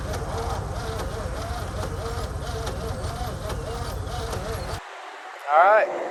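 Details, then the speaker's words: 1949 Ford shoebox started after sitting 50 years, with timing rechecked and advanced: sluggish, labored slow cranking with a few weak, uneven catches that never take; no start. "that's it as you can hear it's firing it's trying a little bit it's cranking slow still"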